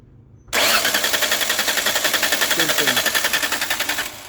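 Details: Car with a starting problem, cranked with the gas pedal held fully down. The starter spins the engine evenly for about 3.5 seconds but it never fires. Crank, no start.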